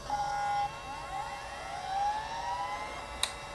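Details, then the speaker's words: 1980s Chaplet Halikan LA-30A laptop, damaged in shipping, reading a DOS 3.3 system disk: short buzzing stepper tones sliding up and down in pitch as the head seeks, then a click. The floppy drive reads normally. "Oh, man. Yeah, even the floppy drive works."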